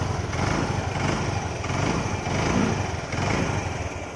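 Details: Yamaha Ray scooter single-cylinder engine after engine work: steady, even beat with no knocks or rattles; healthy, smooth running.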